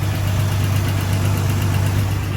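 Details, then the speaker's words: Old straight-six idling in neutral: steady, even low rumble with no misses or knocks, smooth; owner notes it idles smooth briefly in drive and then goes rough. "Alright, so it's smooth. Idling smooth."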